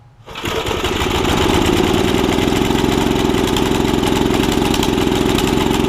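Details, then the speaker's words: Snapper tiller with a 5hp Briggs engine, after a stuck valve was freed and the pull rope bearings were lubed: a busy, uneven burbling run. It is running rich and cannot be leaned out enough. The owner suspects a jet issue; the torn carb diaphragm was later replaced. "running rich can't get it leaned out good enough"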